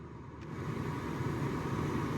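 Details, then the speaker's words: Nissan Note automatic, original heater blower motor refitted after the new one hit its fins and cracked a plug, run through speeds 2–4: steady, even whoosh of air, no knocking or ticking; working again. "So, yeah, we've got it working again."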